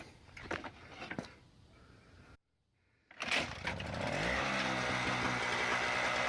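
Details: Toro CCR2000 single-stage snowblower, 2-stroke 4.5hp Suzuki engine with Mikuni carb, after carb cleaning, primed, choke open: pull-cord rattle, pause, then catches on the next pull and holds a steady even high two-stroke buzz; running normally.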